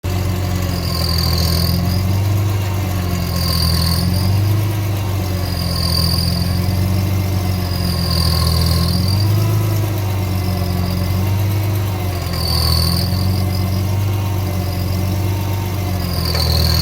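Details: 2005 BMW E46 M3, hot engine only: idle with a hiss and whirring that swells and fades about every two seconds while the steering wheel is rocked; sometimes occurs without steering input.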